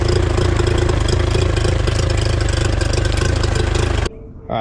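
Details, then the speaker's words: Outboard after clearing a clogged water outlet, idle screw given one full turn out to raise idle very slightly, dialed in; steady, even low burble with regular pulse, no misses or knocks, then cut off; normal idle. "I finally got this dialed in. I actually gave it one full turn out to increase the idle just very slightly."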